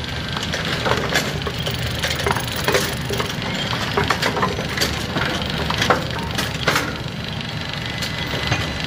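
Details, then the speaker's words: Brunswick A2 bowling pinsetter with neglected gearbox clutch, shoes worn, drive disc surfaces thin and lots of slop: loose, uneven clattering and banging that never settles into a clean cycle; clutch slipping. "our shoes are worn down our clutch Drive disc surfaces are wearing thin and we have a whole lot of Flippy floppy sloppy room here"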